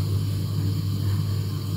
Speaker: гудит вот он вот он здесь вот он во всей красе мы его спрятали в шкафчик